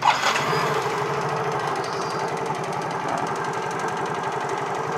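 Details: Motorcycle that had died, after its faulty IC was corrected: small single ticks over at a steady even beat after a quick start, no stumbling or dropping out. Normal idle.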